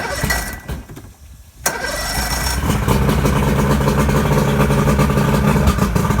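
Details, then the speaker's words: 120 hp Johnson outboard with previously cleaned carburetors, owner unable to keep it at idle: catches after a brief crank and settles to a fast, slightly uneven wavering idle; rough high idle, may need adjustment or something pinched. "it's got like a little rough little idle and uh seems to be running just a little bit rich or not rich but uh the rpm's a little higher than what i would like it to be at"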